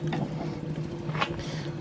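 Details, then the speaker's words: 1991 ACA Screamer S-5 siren, hand-spun rotor with a screwdriver: low uneven rumble with faint pulsing drone from worn rotor bearings. "Sounds good, but those bearings leave a lot to be desired."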